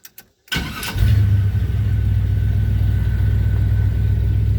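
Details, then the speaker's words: 1978 Chevy C10 truck with a replacement 4.3 starter from a 2000 model, engine partly warmed up: quick, crisp half-second starter whirr, then the engine catches into a steady low rumble; starter engages cleanly, sounding much better than before. "did you hear that starter man it sounds so much better let's do it again listen for the starter"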